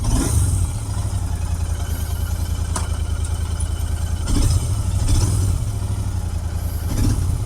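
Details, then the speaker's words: Royal Enfield Interceptor 650 at about 5000 km, at its second service after a wash: lumpy idle with uneven pops and surges about every second, a misfire blamed on wash water getting in around a spark plug that wasn't seated properly. "Actually कभी-कभी wash में होता है ना तो plug ठीक ना लगा हो तो वाशिंग में ग जाए तो प्रॉब्लम हो जाति है"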